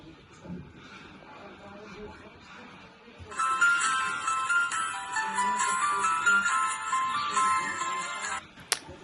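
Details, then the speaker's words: Phone smartwatch after pool water damage, speaker replaced, reassembled and powered on while charging: bright, clean startup melody with no crackle, buzz or distortion; new speaker works as it should. Normal speaker startup tune. "I think it's better than the original one, to be honest. So yeah, it is working as it should."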